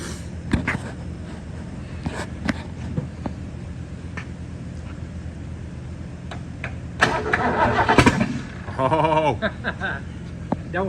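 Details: 1970 Mustang with freshly installed 429 engine that sat a long time, after checking points firing, new cable and a different battery on charger: starter churns in uneven bursts with a few weak catches but never fires; cranks without starting, cause unconfirmed.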